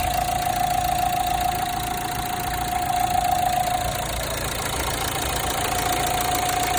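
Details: Renault Megane 3 1.5 dCi diesel at idle; a light, fairly regular metallic ticking like metal cracking near the accessory belts, worst when starting, with a thin whistle coming and going. Cause unclear.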